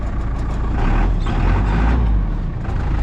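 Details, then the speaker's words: Caterpillar 414E backhoe diesel just started on a jump pack after checking oil and coolant: steady, even low clatter at idle with no knocks or misses, running really good. "It runs really good."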